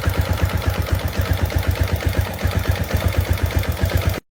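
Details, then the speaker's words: Modified Yamaha Jupiter Z1 motorcycle with stock exhaust, after fitting manual AH1 tensioner and new cam chain, at idle: even single-cylinder beat with faint tick not from the chain; much quieter than the previous loose chain. "Ya namanya motor udah nggak standar, jadi ya kayak gini ya, bunyinya ada sedikit ngelitik, tapi ngelitiknya itu bukan ngelitik dari rantai ketengnya gitu."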